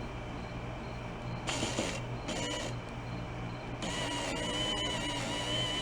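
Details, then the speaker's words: 1986 Oldsmobile Cutlass Supreme Brougham that sat five years, power window motor after gear work: runs in separate strained bursts with rough whirring, complaining more one way than the other; owner hopes the hard direction is down; cause unconfirmed. "definitely complains one way more than the other hopefully the complaining ways on the way down where it's not working as hard"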